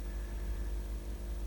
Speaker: yeah worked all the drives have come on i can hear the stepper motors humming